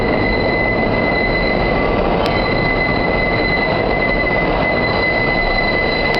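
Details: Subway 5 train rolling through South Ferry's tight curve: piercing steady high wheel squeal held throughout over loud rolling rumble.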